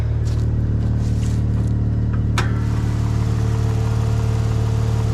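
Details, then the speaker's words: Old, long-stored car with a seized front right brake, started using a jump pack: a little smoke, lots of rat droppings, and a smooth, even low idle with one faint click; the motor sounds good. "A little bit of smoke. Lots of rat droppings. Motor sounds good though."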